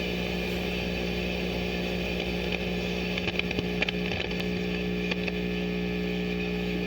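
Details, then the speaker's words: Farfisa O.R. 200 amp during reverb tank shielding experiment, turned up very loud: steady low buzz with faint crackly chattering from picked-up radio stations. Mains hum with radio pickup, cause unconfirmed. "that is super loud I hear the radio station getting picked up back there"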